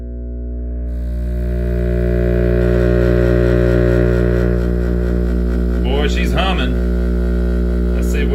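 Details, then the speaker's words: GE vintage tube radio powered up before any capacitor replacement, dial bulb dim; loud steady low hum from switch-on with wavering squeal/oscillation creeping in; suspected voltage/power supply or filter fault, unconfirmed. "yeah it's changing now you hear that I hear oscillation a little bit there's something going on"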